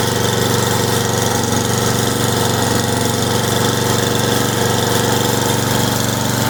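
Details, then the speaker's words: Simplicity snow blower after a carb rebuild, clean and adjust, cleaned coil and flywheel with gap set, cleaned and gapped plug, and new fuel and primer-bulb lines, with a fuel bowl leak still to fix. Steady, even drone with no stumbling or surging, running properly. "It sounds like it's running pretty good. We got our flapper put back in, put our caps on."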